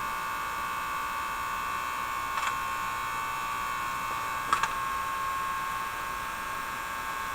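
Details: General Electric KL-70 AM/SW tube radio under troubleshooting, tubes tested good, 175 kHz IF signal injected: constant mid-pitched hum with low hiss behind it and two short clicks; crackly noise source not yet found.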